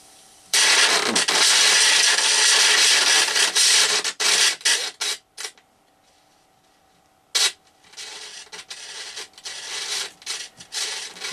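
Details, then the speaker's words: Old quadraphonic 8-track player amplifier, speakers connected, before contact cleaning: crackly scratching and hiss as knobs turn. Scratchy potentiometers, volume pot worst, tone and other pots slightly noisy. "What about the others? They're all a bit noisy, aren't they? Not as bad as the volume pot though."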